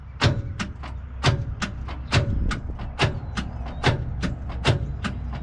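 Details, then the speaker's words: Abandoned 1963 Loadstar truck, cranked with a found key: slow, labored cranking with heavy, uneven thumps about once a second; engine not seized, but the starter barely turns it; owner suspects the starter or the poor, warm positive cable. "it's like the starter just ain't got enough uh junk in its trunk to umph this motor around could be a starter could be a connection"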